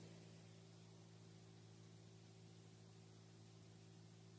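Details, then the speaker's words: RV roof vent after swapping the stock fan for a quiet PC fan: faint steady hum with a soft even whoosh, no ticking or rubbing; about 55–56 dB versus 76–80 dB for the old fan, much quieter. "This one's reading around 55 or so, 56. Much quieter."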